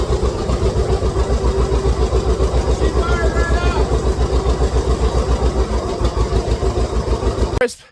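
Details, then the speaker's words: John Deere 60 two-cylinder tractor, about 1956, cold start at 7°: even two-cylinder putt-putt with no misses or knocks; normal cold start. "7° today so she she fired up pretty good for it being that cold"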